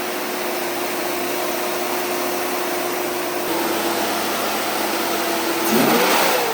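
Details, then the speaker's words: Jeep with freshly built 4.6 stroker (new aftermarket pistons, cam, bearings after cracked piston), first run during break-in: steady, even smooth engine note, no knocks or ticks; gauges good, oil pressure stable, running normally. "Just got the Jeep started. Now we're going to do the break-in process and uh keep an eye on everything else outside."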